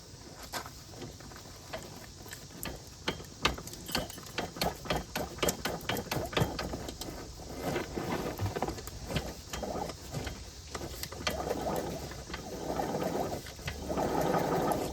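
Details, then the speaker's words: Yamaha BW 80 (Big Wheels 80cc) being revived after purchase, turned over by spinning the rear tire after soaking in PB penetrant: slow even swooshing with light mechanical ticking, engine turns over freely with no binding. "Alright, it is free. You can hear it spinning over real nice."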